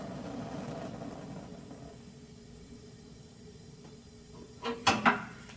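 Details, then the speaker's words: Two-burner gas cooktop being adjusted: a soft steady hiss breaks into a few sharp burbling pops near the end as the gas is turned past flame speed; burner flame set too high. "Oh, you hear that? Okay, that's too high."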